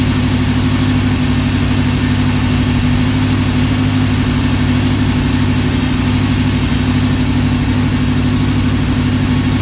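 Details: V8 on a run stand with mock-up adapters and Flowmaster 60 series mufflers, block hugger headers, at steady idle: deep, even burble, smooth, no ticks, knocks or exhaust leaks; normal idle.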